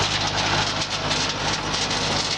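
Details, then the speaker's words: Davis hammer mill and mixer combo, very little use, with the lever pushed over to run the discharge conveyor while it is still empty of ground feed: a loud, even clattering rush with no slowdown or knocks, expected to be quieter when loaded. Normal operation. "just push over on the lever note that that will be much quieter when there is ground feed to convey out"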